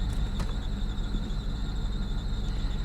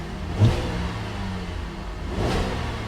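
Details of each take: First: Salvage auction car showing engine malfunction and reduced-power warnings. Lumpy idle of about three uneven beats a second with dropped pulses; it misfires hard. Hard engine misfire. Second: Salvage-auction car, engine cold, revved to only about 2,500 rpm: two quick throttle blips rise and fall cleanly with no knocks or rattles; revs freely and sounds healthy.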